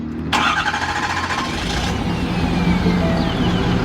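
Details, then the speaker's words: Truck camper's diesel truck just after a fuel filter change and priming: cranks and catches abruptly, then settles into a lumpy, uneven idle for the first seconds; it starts rough like this every time, cause unknown. "just like that our fuel filters are changed it does that every time it starts like pretty rough but it works out for us"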